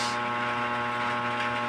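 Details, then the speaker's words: DB Audio amplifier, model 52 with Bluetooth, humming through the speaker on power-on with no DC voltage at the speaker output: steady low buzzy hum at one pitch; mains hum. "ang issue niya nito mga kaibigan umuugong kapag ino-on mo Ugong lang yung maririnig mo yung sa speaker niya"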